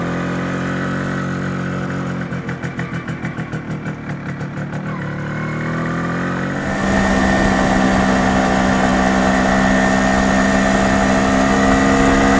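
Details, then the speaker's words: MZ ES 250/2 with a Bing 84 carburetor after a slightly larger main jet: rapid pulsing at part throttle, then a harder drone with a ringing hum; runs well at full load, but lean part-load pinging remains. "A plena carga, el motor arranca bastante bien, pero aún se puede escuchar claramente el zumbido a carga parcial."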